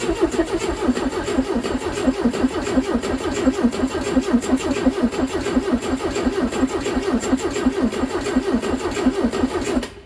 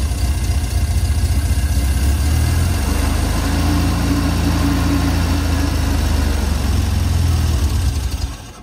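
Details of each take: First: Steyr Puch Pinzgauer 710M air-cooled four-cylinder with two Zenith carbs, long parked with half a tank: ten seconds of even cranking with a banjo fitting loosened, no fuel arrives and it doesn't fire. The owner suspects the fuel pump, later rebuilt. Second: Steyr Puch Pinzgauer 710M after the fuel pump was rebuilt and primed: the engine catches cleanly and settles into a steady, even low rumble with no knocks; fixed.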